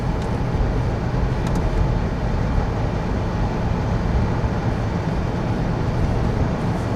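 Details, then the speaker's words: 1995 Ford Crown Victoria LX, under 12,000 miles, not fully warmed up, cruising with the torque converter not yet locking up: only a soft, even road rumble with no knocks, whine or roughness; quiet and healthy. "I hope you guys can hear how quiet this thing is."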